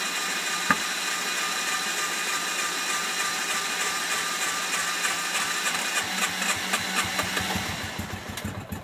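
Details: Hard-starting RZR, in park, throttle floored, with smoke coming from the back: ragged chugging at about three pulses a second that never settles as the engine struggles to catch and keep running.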